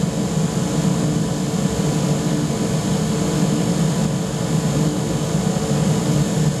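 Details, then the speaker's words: Gravity-fed waste-oil burner with small blower, converted pot belly stove, during startup: steady deep rumbling roar with even low whoosh, no popping or sputter. Normal burner roar. "now we're getting that flame in there to fan up quite nicely you can probably he the thing starting to Roar"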